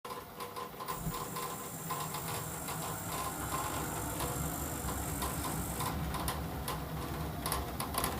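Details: Navien boiler running: steady low hum with loose, uneven knocking felt at the flue outlet, which shakes; owner suspects an inlet valve, unconfirmed.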